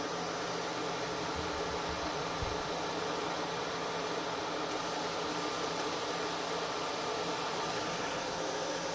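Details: Micro-hydro turbine at about 116 psi with new hoses, restarted after a not-fully-open valve kept it from spinning up: a steady rushing hiss of water jets over an even whir. Running normally.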